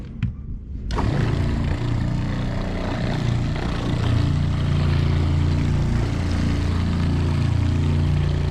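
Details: RV Shurflo water pump while its pressure switch is adjusted in half turns, about two and a half turns in, with the kitchen cold tap just closed: after a brief quiet a low steady pump drone starts and keeps running, so the pump is not shutting off.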